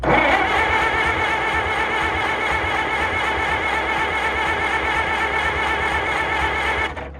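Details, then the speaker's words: IH tractor engine cranked on the starter without fuel to build oil pressure; steady starter whirr with rhythmic compression pulses, about two per second, turning over cleanly but never firing. Afterward no oil pressure shows, gauge possibly bad, and stuff squirts from the exhaust. "This thing is going to sound amazing if it fires. It might actually charge. I should crank it without fuel till it gets oil pressure."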